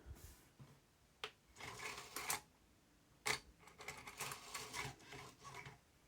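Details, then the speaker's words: Aiwa XR-MD510 MiniDisc slot loader after lens cleaned with IPA (maybe WD40 contamination): irregular clicks and whirring seek bursts, flickering LED and Disc Error, struggling to read; later reads once and plays. "oh disc era huh we got flickering LED there oh it's not going to read in there"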